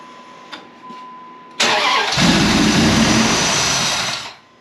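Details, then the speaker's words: 2004 Dodge Ram 1500 SLT four-door, first start attempt after purchase with intake not fully reassembled and an unidentified line plugged: short crank, catches, settles into loud steady idle; no ticking from the front despite a mechanic's timing-chain claim. "we got everything put together except for the intake part we're gonna go ahead and try to start it my dad's in the driver's seat"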